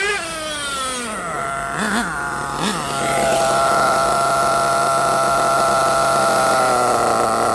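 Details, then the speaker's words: Nitro RC engine after low-speed needle was richened about half a turn: buzzes high, runs fast briefly, then drops through blips to a steady, even high-pitched tick over; normal idle, low-speed needle judged about right. "Hear it? It's running a bit fast and then it went down to tick over. That's what you want."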